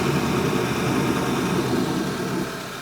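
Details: 2011 Audi A5 2.0 TFSI at cold first start-up: idles under a steady, airy whoosh like a vacuum cleaner, apparently extra air flow from somewhere; gone once driven.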